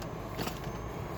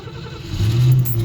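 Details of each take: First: 1959 Cadillac sedan at smooth warm idle after a drive to the YMCA on a cold winter morning. A low, even rumble; the earlier rattling sound is gone and it runs very nicely. Normal idle. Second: 1959 Cadillac sedan cold start on a frosty Indiana winter day after sitting about two weeks. With choke set and gas given, it cranks ten to twelve seconds before catching into a deep, rough rumble. Hard cold start.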